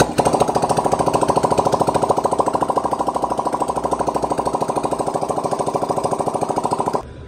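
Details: Yamaha R15 V3 after engine rebuild with new cylinder (previously no oil reaching head), start-up test: quick even thudding beat with steady mid-pitched clatter, no knocks or misses; runs evenly, healthy, now in 1500 km break-in.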